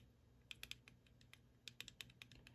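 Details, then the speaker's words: RC car gear mesh set too loose: flicking the spur gear gives quick bursts of sharp, light plastic clicks as pinion teeth whack the spur, which moves rotationally too much and will wear the teeth out. "too loose why because those teeth of the pinion gear are whacking the spur gear and the spur gear is really moving rotationally so that whacking of those teeth as we discussed are going to wear them out okay so that's too much movement"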